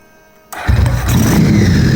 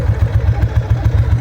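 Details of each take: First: 1997 Ducati 750SS V-twin, first start-up after fitting twin Keihin FCR39 carbs: revs hang above idle before slowly settling, with the characteristic FCR whistle. Owner judges the mixture slightly lean and will open the fuel screws half a turn. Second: 1997 Ducati 750SS with Keihin FCR39 carbs, start-up before the first test ride after carb synchronisation: starts on the button into a crisp, even, steady V-twin idle. Synchronisation cured the earlier lumpiness.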